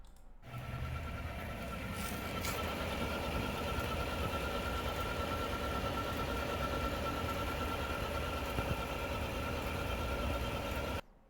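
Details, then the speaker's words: 2021 Chevy Silverado 1500 Trail Boss LT, 5.3L with 10-speed transmission, noise starting around 1,300 miles, at idle from the lower half of the motor: thin steady high whine or chirp like a failing belt; transmission pump drive gear whine. "if you listen closely not the exhaust you could hear like a whining noise almost like if it's a belt going bad or uh something like that it's it's a real distinct like chirp"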